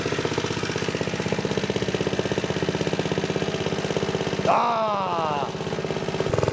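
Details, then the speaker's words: "Piglet" minibike, Briggs & Stratton single-cylinder after clutch prep, on some choke, idle possibly set too high: rapid fairly even popping at fast idle with slightly wavering beat; running but still sketchy. "so obviously we got the little piglet running surprise surprise um it's really sketchy it needs a little bit more work"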